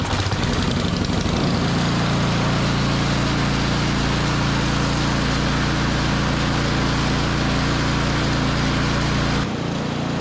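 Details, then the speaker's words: Snowblower run dry for storage to empty the carburetor bowl and warm the oil before an oil change: a steady, loud single-cylinder drone with no misses for about nine seconds, then it quits as the fuel runs out. "to the carburetor and let it run out of gas. I like to do that so there's nothing left really in that carburetor bowl to tarnish over the summer."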